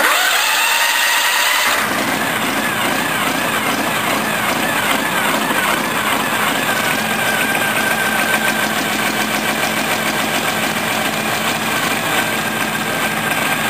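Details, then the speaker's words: Briggs & Stratton 14 hp OHV Vanguard V-twin tractor with new ignition, start-up: engine catches into a rough, uneven shuddering idle; the juddering comes from an unnamed part, and the clutch must be applied. "The weird juddering noise is the bloody whatchamacallit. So I need to put the clutch on as well."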